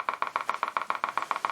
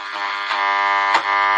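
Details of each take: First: Kriesler 11-20 valve radio on first power-up, brought up to 200 volts. Steady putt-putt pulses of about seven or eight a second from the speaker with no program audible: motorboating. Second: Kriesler 11-20 valve radio after repairs and valve swaps: clean, steady programme sound with no putt-putt or pulsing underneath; the set now plays properly, no motorboating.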